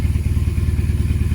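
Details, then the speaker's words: BMW R1150RT boxer twin after clutch and starter motor rebuild, tank drained and refilled with fresh fuel: steady even low thump with no stumbles or missed beats; running a lot better now. "I took the tank off again and drained it, put some fresh fuel in. It seems to be running a lot better now."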